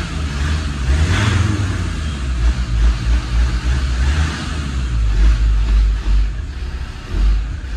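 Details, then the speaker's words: Land Rover Defender TD5 diesel idling after an oil filter change; deep, steady rumble with no knocks, running well. "so yeah running quite well"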